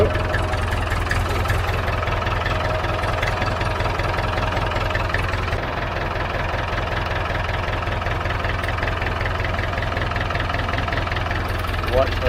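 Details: David Brown 990 diesel tractor, running after about five liters of oil added, started to try the hydraulics: even low idle clatter at a steady beat, no misses or knocks; smooth, healthy idle.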